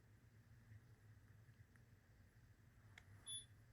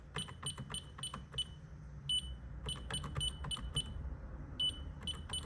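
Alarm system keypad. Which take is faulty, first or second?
first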